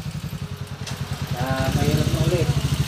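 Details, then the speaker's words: Honda TMX125 converted to 155 cc, after overhaul and road test, running at low speed: even, steady firing pulses with no knock or rattle; the earlier loud engine noise is gone and it runs smoothly. "brad narinig niyo na yung andar niya Kaninang maingay mga kabo ito na yung andar niya ngayon napaka smooth na mga bro"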